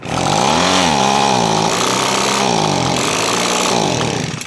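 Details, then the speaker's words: Echo PB-250LN leaf blower started off choke before carburetor adjustment: revs surge and sag unevenly for a few seconds, then fade and stall; engine bogging and stalling. "basically what's happening is when i fire it up it bogs out and dies"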